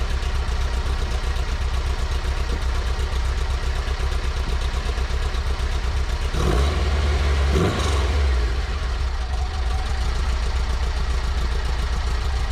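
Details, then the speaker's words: VW Baja 2054cc air-cooled engine idling with one quick throttle blip after adding a Thrush turbo muffler and mandrel-bent tubing to the Tri-Mil Sidewinder exhaust; even, muffled, settles smoothly, by ear about two-thirds quieter with decent tone — normal idle. "I don't know how much quieter that shows on the decibel meter, but I can tell you by ear, oh, that's cut down 2/3. It still seems to have a decent tone."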